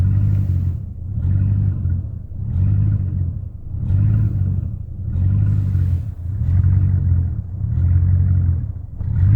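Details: 1999 Chevrolet Silverado 1500 with a rough, hunting idle that swells and sags about every 1.5 seconds, persisting after replacement of the intake manifold gaskets, spark plugs, wires and fuel pump.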